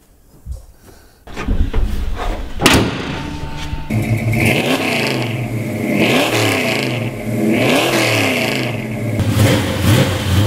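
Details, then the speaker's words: 1970 Chevelle V8 on its first test drive with Holley Terminator EFI replacing the 3310 carburetor. It pulls cleanly through repeated throttle blips with no stumble. Throttle response is much crisper than with the carburetor, healthy acceleration. "alright, I can tell a big difference already. The throttle response is a lot crisper than we had with that 3310 Holley, I mean it's unbelievable how much better the throttle response is."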